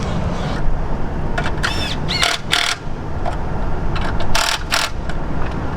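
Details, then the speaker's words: Toyota 8-series forklift with 4Y engine at idle after a tune-up: new distributor cap, rotor, plug wires and spark plugs; steady even idle with a few metallic clanks, no stumble, sounds much better. "that sounds a whole lot better"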